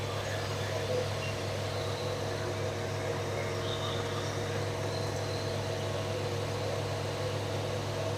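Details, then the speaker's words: 1974 Dodge Dart Swinger, just over 45,000 miles, freshly started after sitting: steady even low hum, no knocks, misses or stumbles, smooth settled idle. Normal idle. "which I don't care cuz I don't intend to use this motor transmission anyway but there she's running finally"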